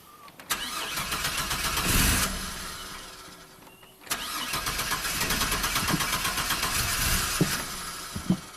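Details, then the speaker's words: 2002 GMC Sonoma V6 with long crank and low power after five fuel pump replacements: with a fuel pressure gauge fitted and pressure building slowly to 60 psi, the starter churns on and on before a rough catch. Hard start from fuel starvation. "really doesn't want to start up to 60 psi come on"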